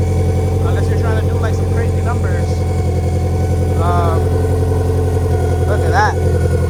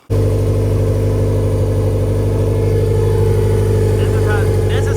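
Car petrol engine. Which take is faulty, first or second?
first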